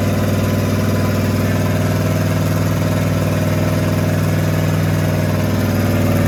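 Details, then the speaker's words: Rat rod small-block Chevy 350 V8 freshly fitted with a turbo cam, replacing the stock one: loud, steady, deep rumble at about four beats a second, even rhythm with no misses; normal idle. "so a lot better we finished the rat rod up with a cam swap last night and we got it all broken"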